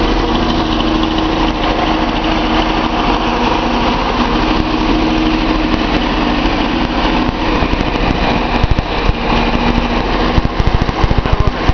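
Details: Nissan 280Z L28 engine at idle: uneven loping misfire with irregular stumbles as one cylinder drops out. The owner suspects the number 6 injector after a power balance test, possibly a clogged fuel screen; a Colortune plug is fitted in cylinder 6.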